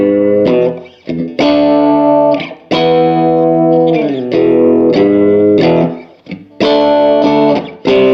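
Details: 1949 Gibson BR-6 tube amp, final tone demo after servicing, cleaning and repairs, played with a Fender Strat single coil: sustained chords ring out with mild breakup and no hum, crackle or dropout. The amp is playing properly.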